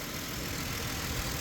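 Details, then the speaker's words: 2008 Ford Explorer with random stall and no-start, cause unknown (fuel pump, mass sensor, throttle position sensor suspected): even, steady idle with no stumble, surge or misfire; running smoothly now. "Like, they thought it was the fuel pump or maybe the fuel filter. Well, it's running perfect."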